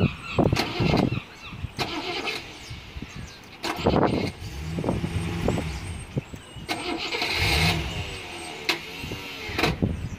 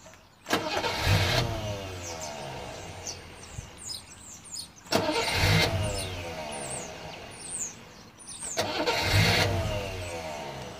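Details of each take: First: Rover P6 with dodgy starter wiring: stop-start starter bursts with pauses before turning over, delayed engagement; owner suspects loose connection at the starter, unconfirmed. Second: Rover P6 after fixing shoddy, loose starter wiring: three separate bursts of steady starter churn, each about a second; starter engages and cranks normally again, sometimes with a slight delay.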